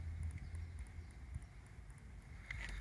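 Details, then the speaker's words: BMW PDC parking sensors checked after rewiring (wires joined, heat-shrink fitted) with reverse gear engaged; faint quick ticking heard when the sensor is touched over a low hum, meaning the parking sensor works normally. "Nie wiem czy to będzie teraz słychać jak się dotknie słychać cykanie niego z tych też słychać bardzo dobrze"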